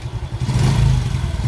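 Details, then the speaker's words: Smash 115 with carb and stock regulator, choke spring repaired, new battery: steady idle rising into an even rev with no exhaust popping; idle now stable and no longer stalling. "Wala na pumuputok sir ha. Wala na pumuputok sa tambucho at stable na yung minor niya kahit na-rev natin."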